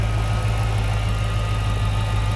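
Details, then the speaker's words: 2006 Chrysler 300 SRT8 V8 idling after intake manifold gasket replacement (owner suspected intake leak causing cold-start vibration): deep, steady low rumble, no shake or uneven beats, no body vibration; engine idles smoothly and evenly. "Man, listen to that thing just purr. It runs so smooth. vibration in the body of the car at all."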